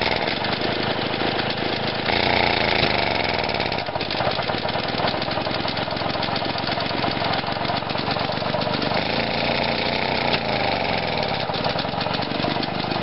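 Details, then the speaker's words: Lawn mower single-cylinder engine after fitting a new ignition coil and setting the timing; runs rough with sharp irregular pops as it revs, backfiring out the intake. "i've just put the new coil in and i realized that you can actually set the timing on these engines which is pretty cool i think i've got it going but now when i rev it up it starts to backfire out the"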